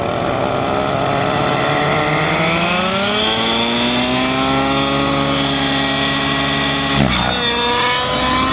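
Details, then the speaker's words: Nitro RC helicopter engine after high-end needle richened, flying continuous manoeuvres such as tic-tocs: high-pitched scream bending smoothly up and down, holding pitch under load without sagging, a little more smoke; normal, well-tuned high-speed run. "Same thing those tick-tocks do. Yeah, much better. You can see the smoke a little more there, yep."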